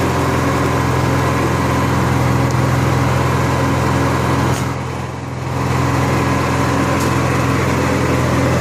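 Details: Honda EXW171S welder generator, sat in a barn over 5 years. Steady, even engine drone with a smooth low hum and no knocks or misses; it runs fine.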